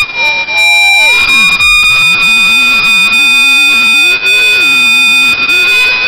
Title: Avalon Brake noise